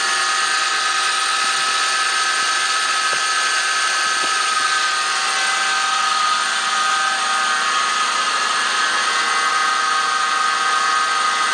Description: There is a whining noise coming under the hood in this toyota 4runner 2003 V6 1GR engine.